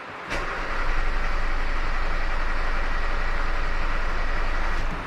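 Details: 2018 Hyundai Creta GS four-cylinder with a loss-of-power complaint, during a compression test. Starter cranking is even at about four beats a second, with readings of 100, 97, 99 and 94%, so mechanical issues are ruled out.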